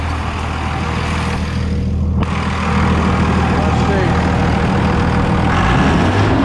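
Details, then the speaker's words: 24-valve diesel truck idling after a belt tensioner replacement; the belt had squeaked badly at mid rpm, now an even clatter with no squeal or chirp. Owner suspects the belt may still be worn, but the squeak is gone. "nope that did it it was squeaking really bad in the mid rpm range or when i hit the thing oh yeah she's good now"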